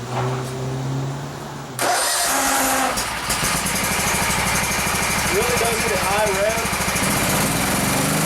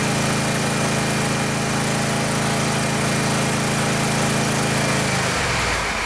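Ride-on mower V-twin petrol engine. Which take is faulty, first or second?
first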